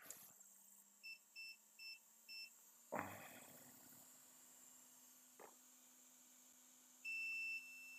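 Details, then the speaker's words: iPhone 6S with a backlight fault, roughly disassembled before: the continuity probe gives a few short beeps, then a steady tone. The board still has a short circuit to ground; a small capacitor is suspected. "ok donc on a toujours notre corps circuit qu'il faut résoudre donc du coup ils étaient victimes du court-circuit mais voilà je sais pas si vous l'entendez mais ici ça BIPE toujours"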